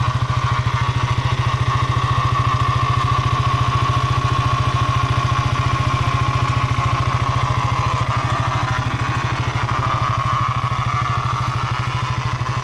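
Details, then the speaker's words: Brand-new KTM motorcycle, about 25 days old, at idle: steady thump about three beats a second with a faint mid-pitched whirr from the engine. Abnormal noise, cause not yet found, going to the service center. "है तो आप दाखवून सकते हो कि engine के साथ यहां से एक साउंड आ रहा है अ लोई वाला"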